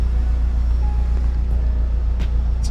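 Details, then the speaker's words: Acura Integra DC2 with JDM front at idle after replacing the failed fuel pump with a DW200 (E85-compatible), plus new spark plugs, plug wires, crank and cam sensors: steady, even low rumble with no dips. Before, the idle nearly died and recovered. "Yeah, smooth idle afterwards too. Before it would like act like it wanted to die and then just come back."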